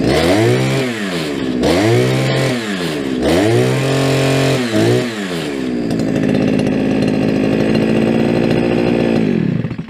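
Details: Brushcutter's first start of the year, unused since last summer and on old fuel. It blips up and down a few times, settles into an even high buzz, then shuts off cleanly; runs healthy.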